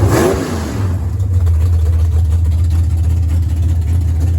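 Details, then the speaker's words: Unknown big-block V8 swapped into a Camaro, replacing the small block: deep rumble rising and settling while revved, with a slightly uneven loping beat; owner thinks it may have a little cam. "We put it in there and started, and it does run. I said, it sounds like it has a little bit of cam in it, maybe."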